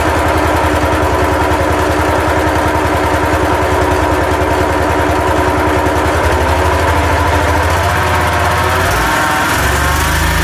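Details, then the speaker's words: Used road saw, small petrol engine on choke running steadily with thin whine over exhaust beat; owner suspects bearing gone, going or wanting grease. "That does sound a bit whiny like this bearing gone or going or wants greasing."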